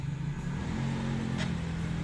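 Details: Isuzu Panther, noisy front wheel bearing: a low, steady droning hum under the moving car before the bearing is replaced.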